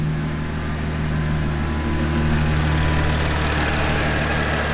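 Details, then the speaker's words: Supercharged Audi S4 with 90,000+ miles idling right after an oil change with fresh Liquid Moly filled to the max line: deep, even rumble with a steady low drone and no knocks or misses; sounds healthy. "You know, it's good for extra precaution to make sure that everything's okay here. Everything sounds good to me."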